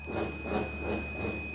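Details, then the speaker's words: Cirrus G7 SR20 preflight stall warning test: steady high warning tone with a rattling stick-shaker pulse about three per second; stall warning and stick shaker working normally. "Says stall. And you can hear the stick shaker. So the G7 has a stick shaker."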